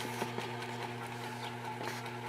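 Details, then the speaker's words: Early-1900s Century 60-inch antique ceiling fan, oil cup filled, drew about 3.5 amps unloaded: quiet steady low hum with faint bearing ticking, no scraping (earlier rotor-stator scrape gone); normal running with slight hum. "It's nice and quiet. Just a little bit of a hum, a little bit of bearing noise, but nothing major."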